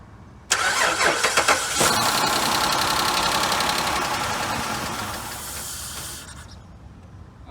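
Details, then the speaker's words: Dodge Charger with a newly installed fuel pump that doesn't work: fast, steady cranking for about six seconds without firing. Fuel pump problem suspected. Crank no start. "right guys you guys heard it it's going to be a fuel pump problem i believe"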